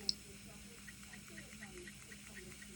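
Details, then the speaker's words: AIWA GS352 Walkman cassette player after its worn drive belt was replaced, running on fast forward. A soft, steady whir with a faint even hum and no slipping or squeal. The tape spools smoothly; the repair was successful. "So you can see the tape spinning there. Stop that and press forwards."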